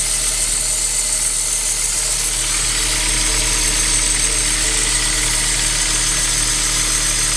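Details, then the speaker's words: 2007 Kia Cee'd 1.6 petrol engine at idle: thin high squeal over the engine, constant with revs, from the alternator and accessory drive belt; fixed by tensioning and belt spray, pulleys checked without noise. "всем привет здесь у нас киа сид 16 бензиновый двигатель 2007 года скрипит ремень привода генератора всего остального навесного оборудования"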